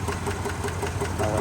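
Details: 2022 Chevrolet Suburban V8 with flashing check-engine light and cylinder 7 misfires; sharp, even ticking about five times a second over a steady idle, later found to be a failed lifter and bent pushrod on cylinder 7.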